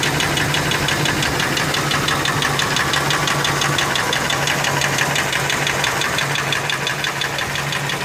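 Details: Ford F150 4.6 2-valve at steady idle: hard, even deep knock about three per second; owner first thought lash adjusters, now suspects rod bearings, though it seems to come from the clutch, possibly a broken spring; unconfirmed.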